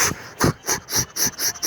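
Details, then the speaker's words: 2009 Ford F-250 6.4 Powerstroke diesel with rough, surging idle, misfire on hard acceleration, smoke, smooth idle when cold: sharp hissing puffs about four a second pulse from the crankcase with the valve cover off; heavy blow-by and lost pressure, melted piston suspected, head coming off. "but this one he was losing a lot of a lot of pressure so we stuck these holes down in the crankcase you can hear it in the crankcase"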